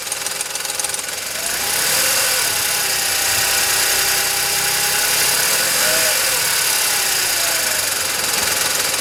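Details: VW Polo 9N 1.2 12V, 198,000 km; steady light metallic knock about three to four per second at idle only, developed over time; owner suspects timing chain but unsure; cause unconfirmed.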